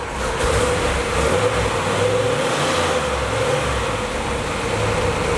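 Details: Ford Fairmont cruising with its electric exhaust cutout closed: steady, soft low exhaust drone with no bark or rasp; the note is properly subdued.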